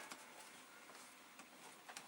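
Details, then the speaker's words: Amiga (possibly 2500/2000 with accelerator card, original battery) floppy drive making faint sharp clicks about every half second, normal empty-drive polling; machine won't boot from hard drive, asks for Workbench; drive may need cleaning. "right now the disk drive is making the noises it should"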